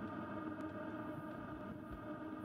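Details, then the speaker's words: Newly installed Webasto diesel heater in JDM Isuzu Elf 4WD camper, auxiliary tank, no muffler yet; soft steady hum with faint even fan whir, no knocks; blowing hot, running normally. "yeah blowing hot i'm gonna get a muffler also"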